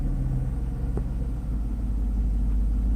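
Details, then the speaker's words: Mercedes SL600 V12 after repair of E-gas throttle module 1295452232 (shorted throttle body wires, burned area bypassed), in-car test: low smooth even idle rumble, steady speed, no hunting; air pump screech audible; idle and acceleration normal. "the idle speed is right where it's supposed to be acceleration just personally gets slightly no problems there so I think we're in good shape here and the module works"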